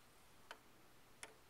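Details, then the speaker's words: Mike's pendulum clock during beat setting, one side still too low and being lifted: faint ticks about 0.7 s apart, too few to judge; still slightly out of beat, needs a tad more adjustment. "Yeah, still too much, but not much, just a tad more."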